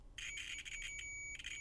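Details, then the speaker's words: Multimeter continuity test on an old meter checking a cable for broken connections at the bendy end: steady high-pitched beep holding over a second, brief dropouts as probes shift; cable shows continuity. "and it'll just beep obnoxiously if there's continuity."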